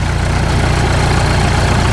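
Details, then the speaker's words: 1951 Caterpillar D2 diesel (serial 5U7968) at higher rpm on throttle, building fuel pressure: deep, even, smooth roar with no knocks or misses; low idle later found shutting off before detent. Normal running at higher rpm. "Sounds really good."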